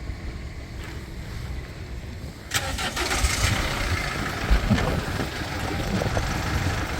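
Short crank, then the diesel catches at once and settles into a steady, even idle with no knocks; a healthy start.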